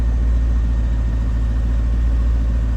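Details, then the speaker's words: 1999 Chevrolet C5 Corvette V8 idling after an oil change, about 0.4 quarts under capacity: deep, even idle rumble with a steady beat and no ticking or knocking, oil pressure looking good. "Sounds good. Just gonna let it run for a minute here."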